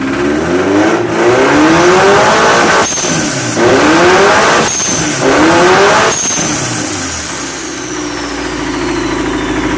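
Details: Engine at 10 psi boost revved in repeated blips, with sharp knocks as revs peak and drop: rod knock.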